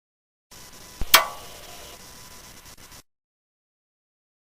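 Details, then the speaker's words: Aluminum curtain wall / ribbon window system shifting with thermal movement: a soft tick, then one sharp, bright metallic ping ringing briefly, a pinging and popping similar to a wood structure but different in quality. "can hear there's a distinct quality difference in the sound right but a similar type of pinging and popping sound"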